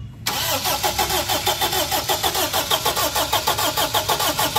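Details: Honda Accord that cranks but won't start: steady starter cranking about 97 beats a minute with even compression pulses, engine never catches.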